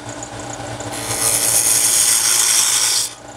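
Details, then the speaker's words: Wood lathe, inside-out turning, tool cut compared against a poorer cut: steady, even hiss of the tool shaving wood for about two seconds with no chatter or catching; smooth clean cut. "okay this is a much better cut turned off you can hear the difference but this is really smooth"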